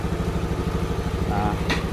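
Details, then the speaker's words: 2014 Honda Beat FI scooter after injection service and scanner reset, set to value two: starts easily by kick without throttle, unlike before; steady, even single-cylinder putter with no misses or stumbles, settling into a clean idle. "Apakah gampang gampang guys tidak sulit seperti tadi ya hidupnya pun jadi gampang"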